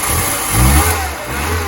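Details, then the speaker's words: VW Polo Mk2 Breadvan carburettor engine, cold start with auto choke on, after an exhaust repair. It fires and settles into a smooth idle with soft revs; exhaust much quieter, no blowing or rasp. "It's much quieter now. It does sound a lot better being quieter."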